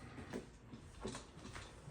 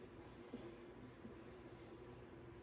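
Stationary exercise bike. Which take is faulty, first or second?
first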